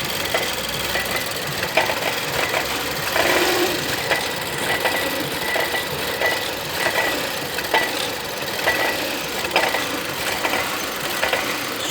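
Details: 2011 Volvo S60 T4 180 hp Powershift idling: repeated sharp knocks and ticks over busy engine sound, worse with slight throttle or quick steering, quieter at higher rpm; seems near turbo pipe/belt pulleys, owner suspects mounts, unconfirmed.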